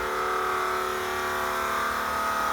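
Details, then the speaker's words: Monte Carlo SS after engine rebuild: steady, even electric whine at one pitch as the big aftermarket fuel pump primes and runs, feeding fuel forward; healthy. "Big fuel pump, man. It's definitely pumping some gas to the front."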